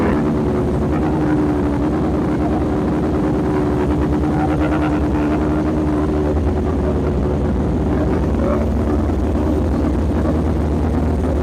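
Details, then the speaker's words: Honda motorcycle that wouldn't start now fires with the throttle cracked slightly and settles into a steady, even, smooth hum. It runs properly after fault finding; the owner's original ECU is suspected as the real fault. "Oh, that was a great success. I'm very happy."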